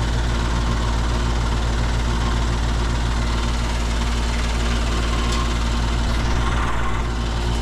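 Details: Upstairs air conditioner's condenser, which wasn't running on a call for cooling, fired up after the contactor was checked and pulled in: steady low hum, even compressor drone and fan rush, no knocking or rattling; running normally.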